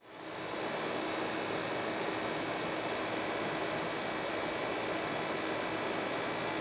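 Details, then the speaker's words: PS5 console cooling fan while playing a game from disc: a steady, even airy whoosh with a faint hum and no ticking, scraping or rattle. This is normal; of the three fan variants, the Nidec fan tends to be loudest. "if you notice that your ps5 seems particularly loud it could be that it was assembled with the nidec model cooling fan as this one tends to be the loudest but keep in mind that some noise is completely normal"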